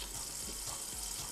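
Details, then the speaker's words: De'Longhi PrimaDonna Elite Experience espresso machine, bought for repair, after restoring water flow, frothing milk: hissing steam with steady gurgling bursts of air drawn into milk; very thick foam, frother works properly. "very thick foam, of course the milk simulator works OK"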